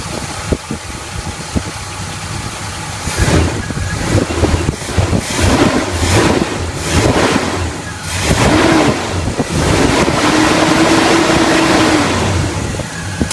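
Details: 1981 Chevy K10 rebuilt carbureted V8, about 5,000 miles since the rebuild, after the leaking fuel pump was replaced: steady low even idle rumble with handling knocks nearby and no misses. The fuel pump works and is not leaking.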